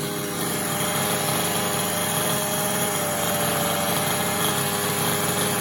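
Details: Losi 5T RC car's small two-stroke engine, run after sitting on a shelf possibly several years: high, buzzy note holding steady with a light rattle, running continuously without dying; runs fine.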